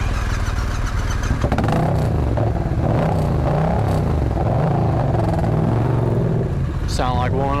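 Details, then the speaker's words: Yamaha MT-07 with one cylinder misfiring: a lumpy, uneven low thud at idle, a loping beat instead of a smooth twin pulse. Cause not confirmed; injectors being checked. "like one of them Harley riders. Yeah, it did seem like it tried there for a second."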